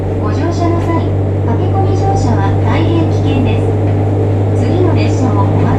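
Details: JR Kyushu 303 series set K01, car 4 MoHa 303-1, recorded directly above the Hakata-end bogie between Shimoyamato and Hatae: loud, steady low drone from the motor area with heavy vibration tied to motor rotation. Abnormal motor groan, cause not identified.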